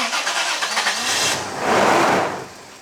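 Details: 90 Series Toyota Prado after repairs, fuel pump priming not heard, petrol smell: starter spins engine unevenly for over a second, brief catch flares up, then dies without running; crank, no start.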